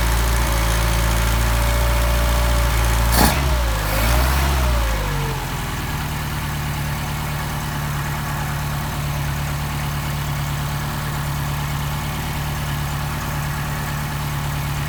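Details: Mercedes 190SL Solex carburetors, freshly assembled on a test engine, warmed up with the thermostat opening, before synchronizing: engine comes off a brief rev and settles into a steady, even idle with no misses. Normal warm idle.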